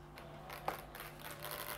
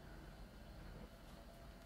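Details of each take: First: 2012 MacBook Pro with a noisy cooling fan: steady low buzz with a faint hiss from a fan clogged with dust and old oil. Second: MacBook Pro after the noisy fan was cleaned and reinstalled; almost silent with only a faint low hush and a steady quiet tone, no whirring or rattling, the fan now running quietly.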